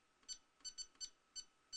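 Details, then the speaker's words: Mingda Magician X 3D printer touchscreen: short high beeps, some single presses giving quick double beeps; touchscreen doesn't debounce taps, sometimes registering twice. "now you notice as i'm clicking here sometimes you'll hear double taps and i think that's the problem that with this interface is they don't de-balance those touches"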